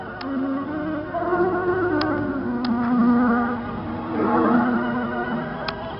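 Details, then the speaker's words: 1999 RadioShack cassette player: music drags low and wavers in pitch as the tape crawls; an over-tight, too-small drive belt is overloading the weak motor, which lacks torque. "my belt's too tight you can see the lights on that one again this motor doesn't have enough torque this is just how we're gonna have to deal with it this belt's too tiny"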